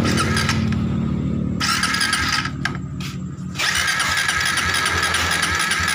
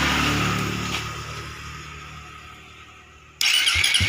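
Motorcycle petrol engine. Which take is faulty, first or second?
first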